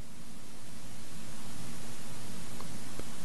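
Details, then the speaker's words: Canon 7D/T2i camera audio: steady hiss creeping louder during silence as automatic gain control raises the noise floor, then clamps down harshly. "AGC, automatic gain control, generates a lot of noise, especially during silence. And then it clamps down harshly."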